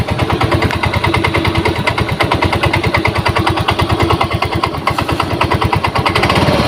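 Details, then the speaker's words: Yamaha Mio M3 scooter at idle with a weak battery: rough, fast tok-tok rattle over the engine beat, harsher at idle and when starting to open the throttle; traced to a worn CVT clutch part. "Gitu ya jadi gak terlalu keras juga enggak tapi cenderung lebih kerasnya itu Posisi lagi Tensioner ya posisi langsam itu suara suaranya cenderung lebih Kasar banget"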